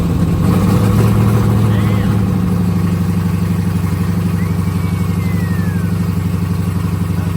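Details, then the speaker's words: Jeep SRT8 392 Hemi first startup after acquisition: lumpy V8 idle pulsing about four times a second with a loose tinny rattle; mid pipe not bolted to the exhaust, flange spinning at its joint. "There is going to be a rattling sound that's coming from the mid pipe because it's not bolted onto the exhaust, so the flange is just spinning where it bolts up to."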